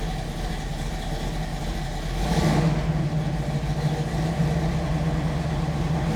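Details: 1967 Chevrolet Camaro RS/SS, numbers-matching 396 big-block V8, Edelbrock 4-barrel carb, HEI, Turbo 400 automatic, under the hood: deep, steady burble with even, loping pulses that firm up slightly as revs rise; idles cleanly.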